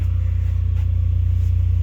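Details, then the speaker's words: Apache diesel generator that would not cold start in icy weather after being run until the tank was empty (stuck pin suspected), now running after the fix: steady, even low diesel thrum with no knocks or misses, running normally. "there it is purring away like it's supposed to"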